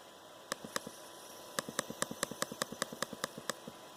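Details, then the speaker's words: Dell XPS 13 9360 with Core i7 and QHD+ touchscreen: coil whine, sharp metallic chirps and ticks about five a second from the processor area, back right of the keyboard; intermittent, worse as the laptop heats up. "so basically it's just really annoying metallic noise it resonates from inside the X XPS 13 um it kind of comes from in the where the processor area is"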